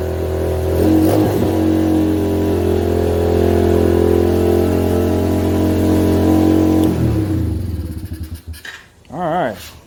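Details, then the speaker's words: 125cc pit bike, single cylinder, just fitted with Mikuni VM22 26mm clone carb after starting on choke; holds a fast idle around four pops a second that won't settle, possibly from stuck throttle cable or idle air screw screwed fully in. "now obviously the issue was it was Ireland crazy high so either the throttle is stuck or the idle air screw was screwed in all the way"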